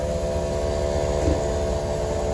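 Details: Air Lift WirelessAir compressor on a Ford F450 pickup loaded on a car-hauler trailer, inflating Load Lifter 5000 airbags to 35 psi, heard from close by: a steady buzzing hum with an even whine over a low rumble; normal running.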